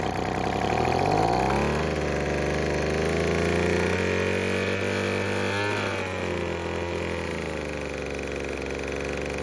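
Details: Craftsman two-stroke leaf blower after repair for a no-start. It fires up and settles into a steady, even buzz with no misfire or stumble. It is running normally.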